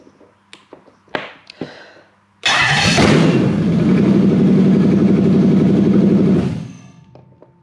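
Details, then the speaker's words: Toyota 1UZ non-VVTi Soarer V8 with stock ECU in a Landcruiser on a new loom: a few relay clicks, quick catch and even, steady idle for about four seconds before shutdown; starts and runs cleanly. "Well, I'm pretty happy with that. Seems to do what it should."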